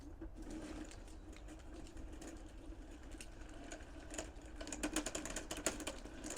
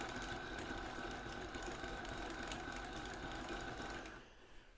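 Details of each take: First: 1/6-scale Armortek Hetzer 24 V model tank, first road test on a patio: uneven ratcheting clicks and gear chatter under the drive whir as the loose track binds on the sprocket. The owner hopes removing a link to add track tension will fix it. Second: 1/6 scale Armortek Hetzer (Jagdpanzer 38) on 24 V drive motors, first road test on a hard patio: even whirring with a light regular clatter from the road wheels on the leaf springs and a thin constant tone. The track drive runs normally.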